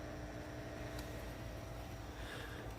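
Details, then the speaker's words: Heathkit tube receiver, all tubes lit, on dipole antenna and also tried a CB antenna: only low steady buzz and faint hum, no stations received; cause unclear. "I even tried a regular CB antenna same thing just the same little like that noise right there at buzzing"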